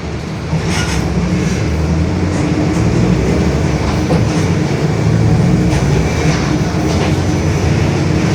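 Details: Marcopolo Torino S 2018 body on 2021 Mercedes-Benz OF-1721 BlueTec 5 diesel city bus, cruising: a steady low droning growl under road and engine noise, from a worn rear differential.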